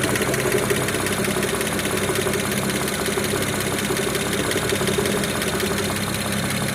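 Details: BMW 335i E92 with N54B30 engine, after 8 minutes of warm-up at idle: a light, uneven knock of about one or two taps per second under the steady engine drone. No knock when cold.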